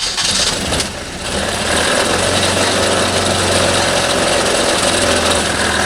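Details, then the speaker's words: 1989 Toyota Corolla engine that isn't running right: catches after a brief crank and runs rough with a dull, uneven knock underneath; suspected rod knock, failed connecting rod. "it's actually not my car it's my sister's car and uh the engine's not running right sounds like it's knocking"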